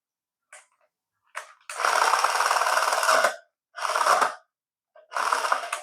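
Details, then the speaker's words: Paladone RC VW campervan toy, battery-powered; close-up of a tiny motor spinning in short bursts while nothing happens, as the gearbox gives a fast harsh clatter from stripped gear teeth skipping, with at least one or two teeth missing. "Yeah, we got at least one or two teeth missing there."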